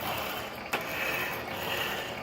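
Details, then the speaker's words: 1916 Diamond Saw Works power hacksaw driven by 1915 1/4 hp Century Model RS motor: steady whir of stroking with a sharp click about every 1.5 seconds at the same point; worn saw-frame pivot pin, black bushing spaced out, to be brazed later. "You hear that clicking sounds, that black bushing back in the back. I had to space it out."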